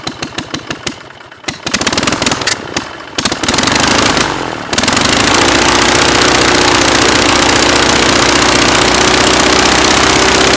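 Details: Praga B2 aero engine, last run 1939, rebuilt and test-mounted on a Vauxhall, with propeller: slow cranking pulses, then it catches near five seconds and settles into a steady, even roar with no misses; running well.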